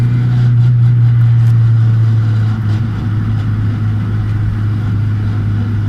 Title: 200SX S14 whining noise...